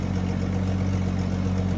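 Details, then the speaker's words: 30-year-old Jeep ZJ, super cold start after sitting days in 30s–40s °F: steady loud idle with raspy, puffing exhaust note, no ticking; exhaust leak, holes in exhaust. "hopefully you can hear me over that exhaust so we definitely got a leak there"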